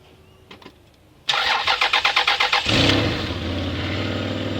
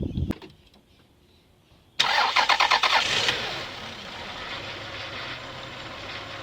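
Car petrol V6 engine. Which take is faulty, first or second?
first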